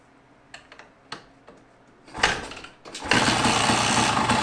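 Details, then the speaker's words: 1974 Yamaha DT250 two-stroke enduro, carb rebuilt, timing set, ignition coil, wire and cap replaced, now with a colder B9ES plug instead of B8ES: a few dull kick thumps, then brief ragged bursts; almost fires but won't keep running. "Did you hear that? Sounded like it really wanted to start."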